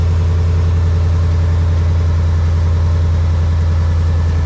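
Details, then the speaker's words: Ford Mustang 5.0 V8 after a Boss 302 intake manifold and 90mm throttle body install: deep, steady idle burble with an even rhythm, no hiss or whistle, no intake leak; the noise checked came from the belt below; normal idle. "I didn't hear like a little. Yeah, that's good. That's how it's supposed to sound."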